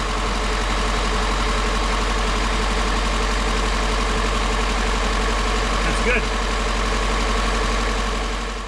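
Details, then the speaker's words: Engine started after installing a new electric universal fuel pump in place of the old mechanical one; the new pump holds about 7 psi and pushes fuel. The engine idles with a steady, smooth low rumble and no knocks or stumbles, sounding healthy. "That was easy. Sounds pretty happy, but well, it's pushing fuel, so"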